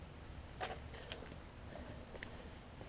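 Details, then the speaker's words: Craftsman riding mower with a new battery, starter solenoid outputting only about 8 volts from 12.55 volts in: a few sharp isolated clicks and no cranking; solenoid has failed internally and is being replaced. "less than about 12 volts is gonna have a bad isn't bad still annoyed and you also hear that clicking noise so that means that something is failed in this solenoid internally"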